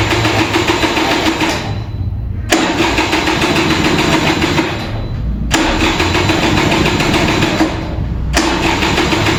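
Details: Vintage Kinetic Honda 2-stroke scooter, early-morning cold start: four cranking bursts of a couple of seconds with short pauses, weak ignition, engine never catches as the battery drains.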